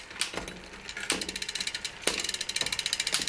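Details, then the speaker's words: Luna X1 bike after a B-screw adjustment for more chain wrap on the skipping 11-tooth cog, upshifting from the 11 up the cassette: steady freehub ticks and a sharp clack about once a second as each cog engages cleanly. "So here's the 11, here's one up. I'm just going to keep going up"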